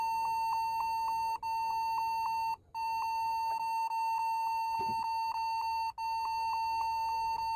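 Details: Computer keyboard emitting a high, steady continuous beep with rapid pulsing and only brief breaks, like an endless warning tone; cause suspected, not confirmed.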